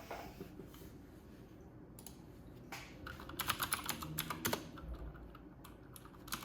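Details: New Corsair K70 RGB Pro with Cherry MX Blue switches, typing test at 94 wpm in a quiet bathroom, camera in front of the keyboard: crisp, sharp clicks in quick uneven bursts, clear click and clack; healthy clicky switches.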